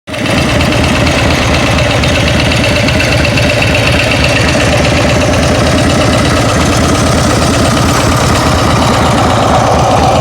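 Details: Steady idle with a quick, light ticking in time with the engine; owner thinks it comes from the rear cylinder, cause not pinned down.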